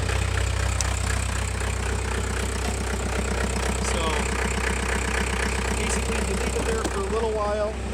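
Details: 2020 Chevrolet Silverado 1500 3.0L Duramax diesel after being jump-started from a battery drained below 9 V: steady low diesel rumble with even clatter about four beats a second, no misses or knocks; normal idle.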